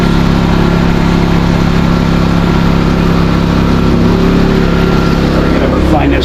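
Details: New Westinghouse iGen4000DFc dual-fuel generator, first run out of the box, powering an air compressor at about 1400–1700 W and 122 V: loud but even, steady pitch, no hunting, a bit louder than expected. Healthy under load.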